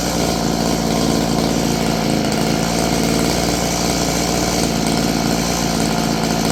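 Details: Roughly 30-year-old Stihl FS56 curved-shaft two-stroke trimmer runs rough and uneven at idle, never settling down.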